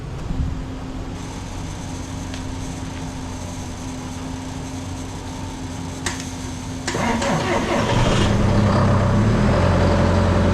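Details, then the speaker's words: John Deere 6115M tractor with an intermittent no-start, tried with a battery charger connected after nothing happened at the batteries. Quiet hum, then the starter engages and the diesel fires and runs up; the owner doubts the battery and suspects an electrical fault, possibly the solenoid. "there I'm not convinced that was the battery um because it started too easy once it took off I think it was some type of electrical thing"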